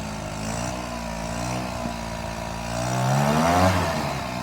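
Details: Free secondhand GoPed-style stand-up gas scooter, small two-stroke, first start after fuel lines fed and carburetor primed, with choke: a steady buzz, then a smooth climb on a quick rev and back; it runs and responds fine.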